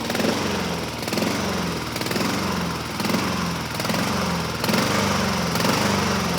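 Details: 2007 Honda HRR2162SDA Quadra Cut mower, after a stuck-open intake valve was fixed, surges with slow uneven rise and fall about once a second. Water was removed from the tank; it runs better on partial choke; owner may re-clean the carburetor.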